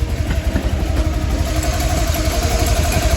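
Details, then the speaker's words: 1986 Porsche 911 Targa first start after more than a decade unused, with drained fuel, new fuel pump and fresh battery but old spark plugs: uneven, lumpy, clattery idle like running on two cylinders; cause not confirmed. "Sounds like it's running on like 2 cylinders though."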